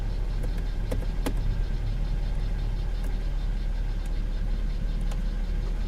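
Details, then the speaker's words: V6 car, airbag light on: steady, even idle with a faint extra tick as the AC compressor clicks in, no stumble, runs good; normal idle with AC compressor engaged. "there it is yeah yeah there it goes okay okay yes air conditioning works and the driver window works"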